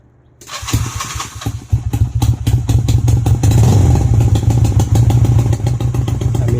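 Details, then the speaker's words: Honda CB250 Nighthawk motorcycle, 11,000 miles but not the original engine, idling after an attempted exhaust leak repair: sharp regular ticking about three per second; leak still audible though better than before; bike not running 100%, owner may rebuild carburetor. "you can still hear that exhaust leak so that is still it's there better than it was before"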